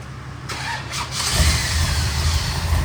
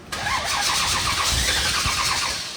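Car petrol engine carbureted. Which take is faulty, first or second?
second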